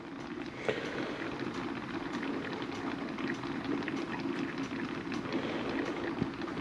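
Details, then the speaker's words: Turbo Subaru Forester on its first drive after an auto-to-6-speed-manual swap. Cooling system was filled with plain water, no coolant, and not bled while running; something binding also suspected. Steady bubbling, crackling simmer: coolant boiling over after overheating. "maybe it wasn't something buring up maybe it was just that boiling but I did just put water in it no coolant so it's not good"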